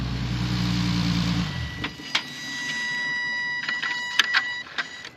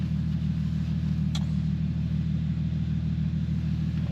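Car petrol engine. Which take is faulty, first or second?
second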